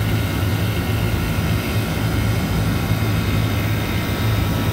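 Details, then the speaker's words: Walk-in freezer condensing unit restarted after its bad condenser fan motor was replaced; it had been cycling off on the high-pressure switch and the compressor on thermal overload. Steady, even hum at 110°F outside, running normally. "there she goes she is running now we're gonna watch that head person climb because it is 110 outside right now"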